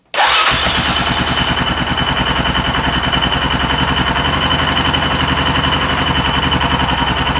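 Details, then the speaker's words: 2004 Yamaha Kodiak 400 ATV after total top-end rebuild, warm, exhaust and intake valve lash tightened after sounding slappy: starts and settles into an even, steady single-cylinder idle with no ticking or knocks. "sounds good yeah that sounds good"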